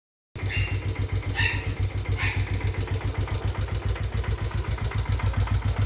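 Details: Raider J Pro, knock appeared after running at top speed: small single idling with quick, fairly even tapping three to four times a second; engine knock of unknown cause.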